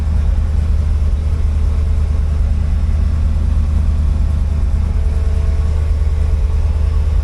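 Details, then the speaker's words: 1964 IH Travelall C1100 just after a new starter, warming up with temperature at 174°F on a 180 thermostat: steady, even low rumble with no knocks, misses or squeals. Normal healthy idle. "It's sounding really good. Uh, temperature is at 174. It's a 180 thermostat."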